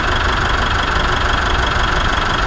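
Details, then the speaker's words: Mitsubishi Triton after sanding surface rust off an idler and lightly spraying silicon on it: smooth, steady idle with no belt squeal, a temporary fix for the squeaking drive belt. "so I'm going to start it up now you'll probably might hear it so that's good that's how it should be"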